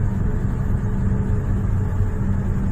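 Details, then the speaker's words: Trane air handling unit after replacing a broken V-belt with a new SPA 1400 belt, switched on manually from the panel drawing about 10 amps: steady low rumble and even hum, no slapping, squeal or knocking; blower runs smoothly. "आवाज़ इसकी ठीक आ रही है।"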